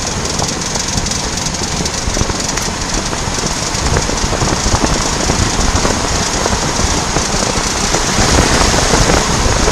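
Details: VW Passat B8 coasting off throttle in first or second gear, 2000–2500 rpm, under 15–20 km/h: quick uneven ticking, worse turning right, absent in neutral; worn outer CV joint, replacement cured it.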